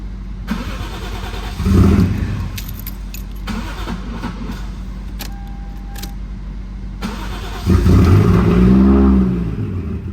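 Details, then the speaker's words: Toyota Mark II JZX100, first start after installing a Tomei titanium exhaust: the engine catches and settles into a loud, deep, lumpy idle with some surging. Running rough, blamed on the intercooler work, not confirmed. "pretty loud it's running rough because of the iac i mean because of the intercooler stuff"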